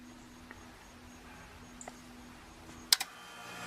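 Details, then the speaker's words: Mechanical compressor contactor, 44.39 A inrush: quiet hum then a sharp double clack as the contactor pulls in and the compressor starts; normal pull-in click. "forty four point three nine and y'all heard that click that's you know the contactor of course pulling in"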